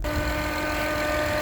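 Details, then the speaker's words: Acura/Honda engine idling with a check charging system warning; a steady high whine over an even idle with no pitch change comes from the alternator, not the engine, battery about 6 months old; alternator failing. "The engine is running, but it's making that noise. And that noise is coming from the alternator."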